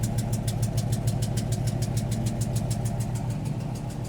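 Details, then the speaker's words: 1972 Suburban with an LT1 V8, first drive after sitting 40+ years, oil pressure a little over 50 psi with lifter tap: at idle the exhaust lopes unevenly with one weak cylinder in the rhythm; dead-cylinder misfire. "also y'all heard that weird exhaust note well it's went away but I pulled the plu"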